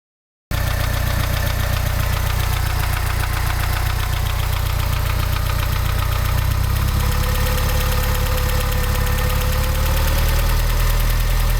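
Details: Mazda 626 GD: deep, steady idle with a repetitive knock at engine speed; internal engine knock whose cause the owner is asking help to identify.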